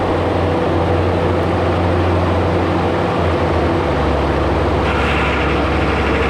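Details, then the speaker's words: Quick Attach Mega Mower X 72-inch high-flow brush cutter on a diesel machine, first test run at 30 gallons a minute, lowest high-flow setting, spinning clockwise: deep steady diesel drone with low hydraulic rumble shifting as cutter spins up; normal running. "I just wanted to give it a test run just to make sure that uh it's spinning in the direction that I want and it is it's going clockwise so I think everything is good there seems fine"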